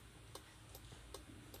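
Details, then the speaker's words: Car with an aftermarket remote alarm module under the dashboard below the steering wheel; crisp relay clicks about two and a half times a second at a steady beat; the faulty module switches the hazard lights on by itself. "disitu akan terdengar suara seperti itu ya di situ yang bermasalah ada di modul ya sini"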